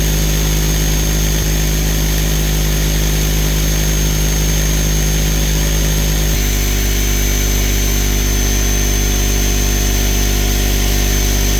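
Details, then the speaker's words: Used air compressor after repairing leak by threading and replacing pressure switch: steady even low hum, constant pump rhythm, one slight load shift, no knocks or hiss; no leaks, holding pressure, running healthy. "turn it off she's got no leaks anywhere sounds real good everything's holding real tight I'm not losing any pressure"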